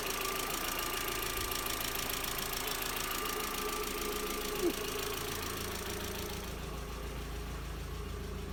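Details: MK4 Jetta 1.8T idling after head gasket repair with replacement head, new timing belt, water pump and thermostat; steady even idle, soft regular beat, no misfire or heavy knock; smoke, suspected valve cover leak from omitted camshaft covers.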